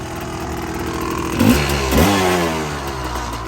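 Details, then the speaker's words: Yamaha Tri-Z two-stroke three-wheeler barn find after CDI and coil replacement: uneven burbly running stumbling as throttle is blipped, visibly loaded up; rich running (loaded up). "Another night of this with a little bit tighter rope. And or if I wash it real good, I could put a little heat on this right here. That ought to do her. You can see she's pretty loaded up."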